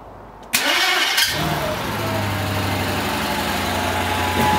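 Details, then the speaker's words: Mercedes C55 AMG after a manual transmission swap, first start: harsh, unusually loud starter crank for about half a second before it catches and idles; starter loose because two mounting bolts through the transmission bolts were left out. "well silly me I forgot that the starter bolts uh were held in through some of the transmission bolt two of them in fact so starter was super loud because of that"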